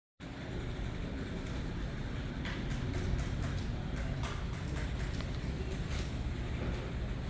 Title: Bad bearing. www.goding.com